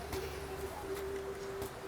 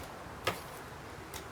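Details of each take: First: ST&G K1-K3 Green Family prosthetic knee, stance flexion properly adjusted: soft footfalls while walking, no clicking or popping as the knee flexes; too loose an adjustment makes it pop. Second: ST&G K1-K3 Green Family prosthetic knee: two sharp clicks about 0.9 s apart as it flexes, because the stance flexion adjustment is too loose. Properly adjusted, with about 1.5 threads or less showing, it is silent.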